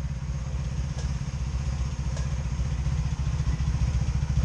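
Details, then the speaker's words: 2002 Honda Magna VF750C being rebuilt, idling while still warming after a restart: deep, lumpy idle with soft pops as a cylinder drops out on one side. Misfire at idle; plug gaps to spec, wires new, cause not found. "you hear it missing hear it a little popcorn popping"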